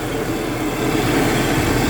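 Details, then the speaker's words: 1997 Toyota Kijang LGX petrol, carbureted, non-injection, engine dry: smooth, even low idle hum with no tapping, misses or rattles; engine sounds healthy and ready for long trips. "Untuk suara mesin juga tidak ada suara yang aneh-aneh. Untuk mesinnya siap luar kota."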